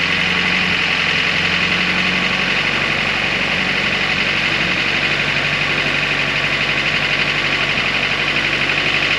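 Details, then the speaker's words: Boosted Mitsubishi G23BK engine after swapping engine mount inserts from 75A to 65A, at cold fast idle now about 1,000 rpm instead of about 1,500: steady idle with a rough rapid slapping patter, likely engine movement on the softer mounts. "you know this motor it only have a fast idle uh Thermo valve you know when you first start it up that the RPM is like 1,500 it would have been all right not slapping noise you could hardly hear it"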